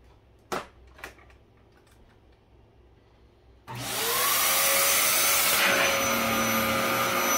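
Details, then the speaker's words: Dyson DC07 upright vacuum, US version, switched on: a few taps, then the motor climbs to a steady high whoosh with an even fan tone. Moderately loud, louder than newer Dysons, but running normally. "this machine is it's not loud but it's not quiet either the definitely the UK versions were louder and the dco7 is louder than the newer Dyson"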